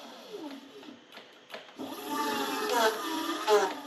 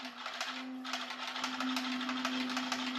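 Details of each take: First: H-1 Pro Series Ace R450 electric scooter after caliper alignment (bolts loosened, caliper recentred over misaligned rotor): motor hum rises and falls with wheel speed, and when the brake is applied there is no rubbing or squeal; normal disc brake operation. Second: Brand-new H-1 Pro Series Ace R450 electric scooter at slow speed: steady tone near 250 Hz with an uneven scraping tick about twice a second as the wheel turns; a misaligned brake caliper rubbing the disc, fixed by realigning the caliper.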